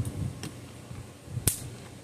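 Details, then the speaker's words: Semi-homemade custom electric fence charger tested with a screwdriver across the terminals; sharp dry snaps about once a second, each pulse cracking cleanly across the gap; charger firing properly. "you see it there a nice little spark out thing"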